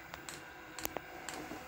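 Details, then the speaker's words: Diesel air heater, fuel lines empty at startup. Quiet single clicks about every half second over a soft fan hum, the dosing pump priming: normal. "Well, you can hear that now, the pump is clicking through, which is pushing diesel."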